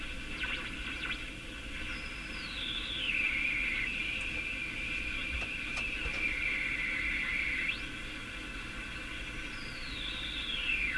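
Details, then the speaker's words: Canadian Philco #57 tube radio while tuning stations: over steady hiss a high heterodyne whistle sweeps down, holds, sweeps again; owner suspects IF stage interference rather than poor alignment, unconfirmed. "There you can hear the swooshing now. pretty clear the hetrodine tone."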